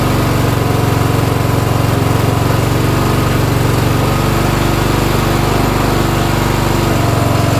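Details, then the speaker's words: Briggs & Stratton Intek single-cylinder riding mower engine (Craftsman LT1000-type, 14–18 HP) after carburetor replacement, on choke: runs steady and even at fast idle with smooth low putter, no misses or surging; sounds much better. "That sounds much better."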